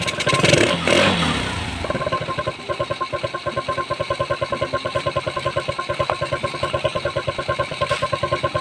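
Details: Suzuki GD110 motorcycle with hard-start problem, after carburetor work: burst of cranking and revving, then catches and settles into an even, steady idle thump; normal idle.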